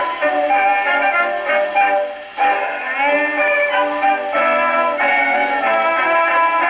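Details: Paillard model 302 portable gramophone, suspected late 1930s, with a large factory reproducer and small horn, playing an early-1920s acoustic record: clean, steady voice and band with no blare or rattle; acoustic records play fine on it.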